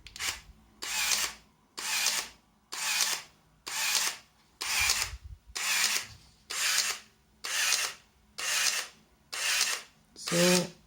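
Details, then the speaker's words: Zenit KM Plus camera, which has no shutter lock, with the button held as if pressed accidentally in a bag: about eleven even shutter-and-wind bursts, roughly one a second, repeating nonstop. Normal continuous motor-drive firing, which would ruin a loaded film. "so uh if you accidentally will press the shutter button when this camera is in your pocket in your backpack or something like that uh here is what will"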